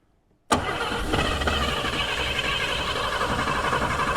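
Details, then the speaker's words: 1951 Chevrolet Fleetline, first run after correcting swapped plug leads, makeshift carburetor only controlling air with throttle cracked open by a tie wrap: catches abruptly after silence, then runs with an uneven, stumbling low idle; nearly on six cylinders, runs roughly. "It's running. See if I can get around there to this trying anyway. Nearly on on six. Wow. Well, it runs sort of."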